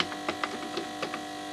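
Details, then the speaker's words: Instrument at power-up: a steady mid-pitched buzz with scattered clicks; a power supply fault, possibly a shorted transformer, is suspected but not yet investigated. "and at some point in the future video I will pull this thing apart investigate what's going on there but it does sound like a power supply problem"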